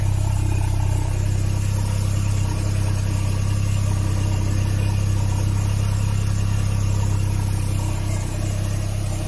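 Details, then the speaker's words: Citroen BX on ramps with the hydraulic pump running and old hoses: a steady, even idle drone with no knocks or misses. A slight tinkle comes from a resonator that was dropped during fitting; the exhaust smoke is attributed to diesel soot. "Seems well so far. Even the knackered old hoses. It's a bit of a tinkle in the resonator."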